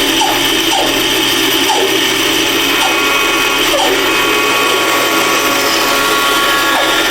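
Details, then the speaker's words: Band saw cutting the bottom piece of a wooden candle holder: steady high whir under load with faint light chirps every second or so as the blade rubs its guide bearings, which is what they normally do. "That's that noise you hear is them bearing touching. That's what they do."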